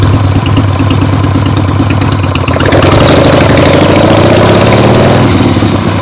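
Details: 1975 Harley-Davidson XLH Ironhead Sportster after full rebuild, first short test ride around the block on temporary lawnmower gas tank: loud, lumpy V-twin beat through open pipes, pitch climbing smoothly with revs, no knocks or misses; carb farts probably adjusted out once warm; runs great.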